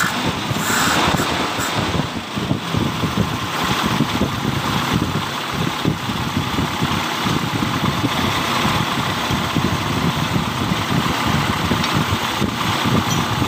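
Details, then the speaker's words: 1997 Toyota Kijang Grand 5K petrol engine during distributor timing adjustment, where retarded timing feels heavy on throttle and advanced feels light. The idle is steady and even and rises cleanly when revved, with no misses or knocks, so the engine is running normally. "pada saat timing nya dimundurkan ngegas akan terasa berat ya temen-temen ya kemudian kita eh majukan timing nya itu bagian gas ya pada saat kita angkat itu akan terasa enteng Ya seperti ini teman-teman"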